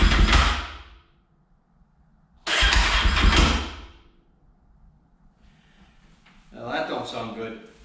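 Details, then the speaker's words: Rebuilt Honda TRX450ER on first start, with a new fuel line and carburetor O-rings leaking gas: it catches in short, uneven sputtering bursts that die between tries instead of settling to idle. Rough start; cause unconfirmed. "that don't sound good at all i don't know if i like that"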